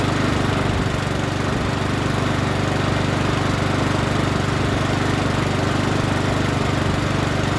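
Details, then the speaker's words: Troy-Bilt TB130 push mower, Honda GCV160, after turning the fuel tap on: holds a smooth, steady beat with no misses or surging; running healthy. "now it don't sound too bad don't sound too bad let's start it up again sounds pretty good now"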